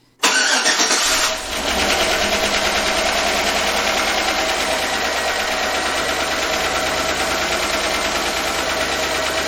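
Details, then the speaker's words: Chevrolet GM V8 with Active Fuel Management, cold start after releasing a stuck collapsed lifter, still running on all 8 cylinders: loud busy idle with light tapping and an uneven stumble; a lifter suspected still ticking, spark plug to be checked. "No I don't like the way it sounds it's done here as well into once before but got a little bit of a stumbling going on to it"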